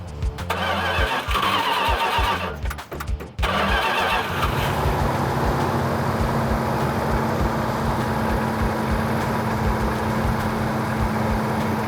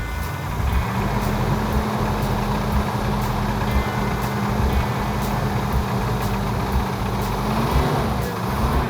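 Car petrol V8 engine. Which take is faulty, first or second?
second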